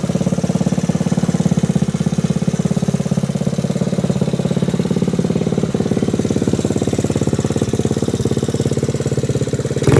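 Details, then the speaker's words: Frame-off restored 1986 Honda Z50R pit bike with aftermarket exhaust: small single putters at a quick, even beat, no knocks or misses, pulling cleanly. Running healthy. "go ahead and start it up so you can hear how it sounds it's got an aftermarket exhaust i found for the bike it runs pretty good"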